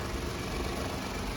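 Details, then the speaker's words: Salvage-auction truck just jump-started, idling before warm-up: low, steady rumble with no knocks, misses or ticks. The check engine light is off and only the airbag light shows; the engine idles evenly and sounds healthy. "And this thing's purring. It's sounding great."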